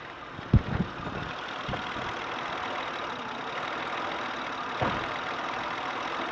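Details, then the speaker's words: 2006 Honda Odyssey 3.5 L petrol V6, sat unused a while, runs rough with flashing check engine light: uneven idle with occasional thumps and surging rise and fall in engine note, engine vibrating, under-hood recording; misfire. "If I'm quiet like I was just then, you can probably hear that it's surging. It's hard to see if you can tell that on the camera there, but engine, of course, is vibrating."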